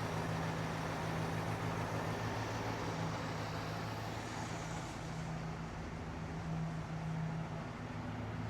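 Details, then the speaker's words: 1966 Jeep Gladiator, first run in 24 years, idle turned back down, oil pressure about 20, coolant 150: quiet, even low hum at idle with no ticking or knocking; engine idling smoothly. "We're right in the middle, nice low idle. This thing's quiet as can be up here."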